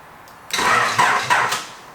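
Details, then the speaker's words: Prelude with a 1980s JDM aftermarket remote starter just wired in, on a weak jump pack: about a second of cranking, brief firing bursts, then it dies. Starter cuts out; owner suspects a missing input signal. "okay well fired and stopped firing but sounds like the jump pack he's pretty much flat because this little jump pack struggles to start the car without all this extra stuff"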